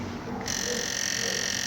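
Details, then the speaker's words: PlayStation 2 optical drive, lid switch held to run: rough croaking buzz with a steady high whine from the reader, caused by a damaged laser flat ribbon cable. "esse problema Esse problema aqui do do Barulhinho do leitor é um flat"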